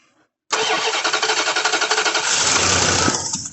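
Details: The 88 being worked on, which owners are checking for fuel delivery; the starter cranks steadily, about four compressions a second, but the engine never fires; no gas is seen coming out, so no fuel is delivered.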